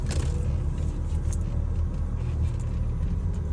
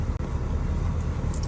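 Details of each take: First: Mercedes W210 at idle: steady low hum from the power steering pump with heavy steering, appearing after the first few minutes of driving. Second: Mercedes W210 on first kilometre after power steering repair (cracked hose replaced, black fluid changed): low steady cabin rumble, power steering no longer whines, steering lighter.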